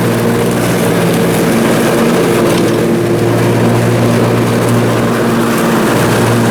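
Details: Briggs & Stratton Intek M44 twin engine after a full twin-carburetor tear-down and clean, while mowing: even, steady drone, constant pitch, no surging or hunting; sounds way better. Normal running after repair.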